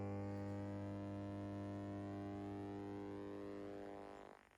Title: Verstärker brummt: NAIM NAC152 Preamp + NAP200 kombinierter Verstärker (new) with hums-Noise…